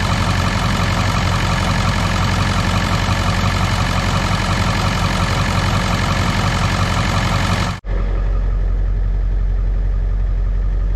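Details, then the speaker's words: 2001 Ford F-450 7.3 diesel after repair cleared injector low-side and IDM codes: even, steady idle clatter on all cylinders, volts charging, no miss or stumble; healthy idle after repair. "volts is charging and she looks like she's feeling better wrapped up"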